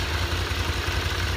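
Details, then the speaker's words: Honda VFR 750 after clutch basket repair (clutch-side knock that worsened when hot): warm idle at 90°C, about 1500 rpm, with faint quick ticking from the camshafts and maybe the springs, no knock; normal. "слушаем Как работает слышно как-то катят распредвалы и может быть немножко пружины"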